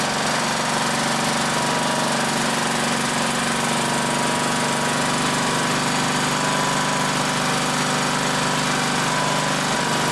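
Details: 1960s-era roughly 10 hp Briggs & Stratton (Hale fire pump), recently tuned with fresh oil and some old fuel: fast, even single-cylinder chatter at steady speed, no misses or knocks; normal running, slightly smoky (owner suspects old fuel or worn rings).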